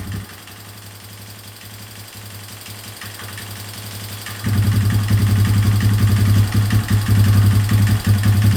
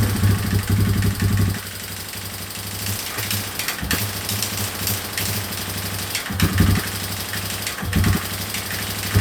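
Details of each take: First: 2003 Yamaha Wolverine quad after fuel leak work, with inline fuel filter and temporary fuel setup: smooth regular low putter that picks up cleanly at about half throttle; normal running. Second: 2003 Yamaha Wolverine quad that barely moved after refitting the tank, started on a jump pack after a week sitting: low, uneven idle that keeps stumbling and dipping, running only on choke; the main jet was found clogged with debris while the pilot jet was fine.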